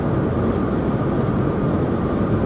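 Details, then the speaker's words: 2020 Dacia Logan/Sandero at 130 km/h, in cabin: steady loud rushing roar with no engine note standing out; significant wind noise from roof bars, mirrors, driver-side pillar and upper roof area. "ceva zgomote la duci la viteza asta se aude destul de semnificative"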